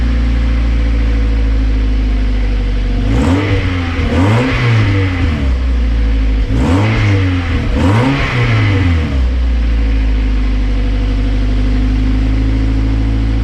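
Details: Toyota MR2 Spyder with newly installed PPE aftermarket exhaust: steady idle then two pairs of quick throttle blips, clean throaty note, no leaks — normal revving.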